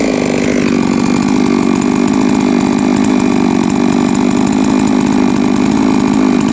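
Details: Three-year-old Huztl-based MS660/066 mill chainsaw, ported 56mm cylinder, after in-field clutch replacement: loud steady high-rev two-stroke snarl at even pitch with no rattle, slipping or grinding; running healthy.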